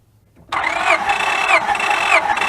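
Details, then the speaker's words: 2004 Honda Pilot with misfire and code 1399, cranking for a compression test: even whirring starter churn, never catches; normal cranking. "Okay, try it again. Okay, it's like 195, 200."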